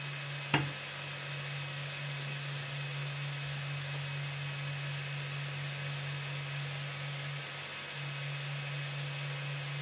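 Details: New Voxelab Aquila FDM 3D printer on its first print (Benchy) with stock settings: steady low hum, soft fan hiss, even motion, no skipping or grinding; printing normally.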